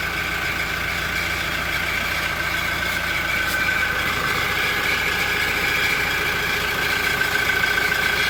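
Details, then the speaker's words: Toyota Innova Reborn diesel idling: a fast, cricket-like exhaust chirp (klotok-klotok) over the clatter, about three or four a second. It appears only once the engine warms and rpm drops from above 900 to idle. "Nah itu dia, suara klotok-klotok-klotok."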